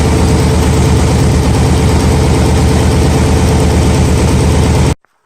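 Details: Nissan 300ZX (Z32) with a persistent misfire on one cylinder after earlier timing fixes, owner suspects the injector and is replacing the injector and plug: idle with an uneven, stumbling beat under the exhaust. Rough idle; cause not confirmed.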